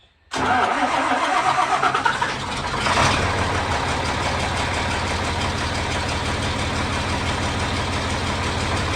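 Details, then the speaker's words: 4230 tractor: fires quickly into a smooth, even idle; the earlier hammering noise is gone, much quieter and healthy. "much better you can see that tell the difference in how quiet that tractor is now"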